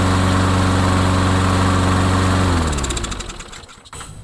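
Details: Craftsman mower with a single-cylinder engine, after repair of a no-run complaint: catches and runs with an even, steady putter, then winds down smoothly; no misses or knocks, runs fine.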